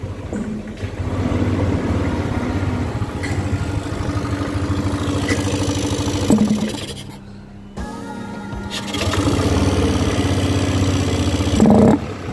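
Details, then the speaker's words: Yamaha Aerox 155 scooter, recent model, starts and idles fine but bogs and hesitates on sharp throttle blips at low revs instead of picking up. "jadi seperti itu bosku ya, motornya itu nggak bisa gas spontan alias nguok gitu bosku ya di putaran awal."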